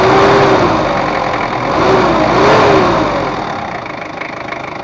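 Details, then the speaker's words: Ford Ranger 2.5 diesel double cab after repair of post-overhaul compression leak, power drop, oil seepage and odd noise, adjusted and road-tested: revs swell up and settle back twice with a clean even note, no knocks or misses. Normal revving. "udah kita setting dan gak ada bocor dan untuk mesinnya udah normal kebocoran pun gak ada udah kita coba jalan-jalan ternyata aman dan enak udah tarikannya"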